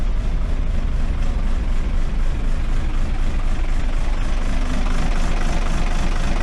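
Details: Cummins diesel in a bus on a cold November day, which struggles to start and lacks power: after cranking it settles into a heavy, lumpy idle with an uneven low thump about four times a second. Smoky exhaust of unburnt diesel; rough idle.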